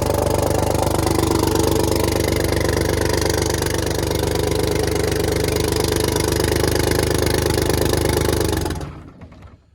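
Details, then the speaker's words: 6V92 Detroit Diesel bus engine on a cold start, during rack and valve adjustment checks: loud clatter with uneven lumpy beat, a couple of cylinders misfiring, then it dies. "Okay, it's still missing on a couple. I can tell."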